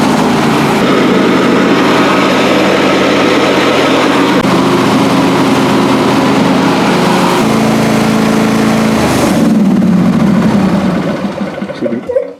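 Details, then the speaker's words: John Deere D130 mower after deck overhaul with new pulleys, spindles and blade brake repair: even engine drone with steady deck hum, no grinding or rattle, blades stopping within a second or two at shutdown; normal deck running. "So I'm happy with that, and I can tell 100% the difference in the sound."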